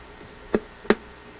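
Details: AF-610 Japanese AM/FM tube radio with external antenna, tuning FM at turned-up volume: over a quiet hiss, three sharp irregular pops within a second and a half, a new intermittent crackle fault, cause not yet found.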